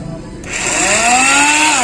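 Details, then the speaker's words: Hero Splendor Plus self-start problem: pressing starter gives a high thin whine spinning up and fading with no cranking thump; starter motor spins but flywheel apparently doesn't turn, not the one-way clutch; broken starter motor magnet. "तुम सकते हैं साल की आवाज सुनी है देखिए अब है तो इसका जो साल आप मोटर तो घूम रही है लेकिन जो उसका फ्लाईव्हील है शायद वह नहीं घूम रहा था"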